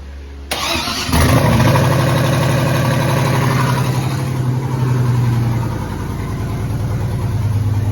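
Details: Truck with Gen 4 4.8 V8 and BTR stage 3 truck cam, 4L60E transmission and Forced Performance 7875 turbo, started after a fuel regulator plumbed backwards was fixed; brief cranking then catches into a strong, steady deep rumble, clean start.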